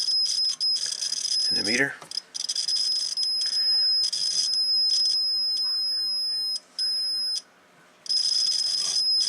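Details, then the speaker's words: Homebuilt T-match antenna tuner with roller inductor, continuity checked with a tester along the coil: a steady high-pitched tone keeps cutting out and sounds scratchy, from poor roller contact on a dirty coil that needs cleaning. "there's a roller along here and you listen for the buzzing in the mediator and she sounds Scratchy that's where she's got some poor connections going across the length of the coil"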